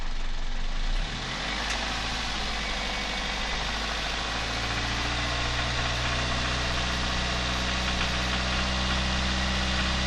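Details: Toyota 1ZZ-FE engine idling with quick, somewhat uneven tapping knock about 220 a minute; knock present, cause not determined.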